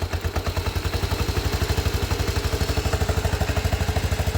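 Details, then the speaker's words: Postie bike single-cylinder after new Lambda MC carburettor and swapped fuel cap to cure flat spots, first pull start, idle not yet adjusted: even putt-putt about three beats a second, no misses; idling correctly. "Oh. That sounded alright for a first pull. Yeah. That's not bad. We haven't even adjusted the idle yet."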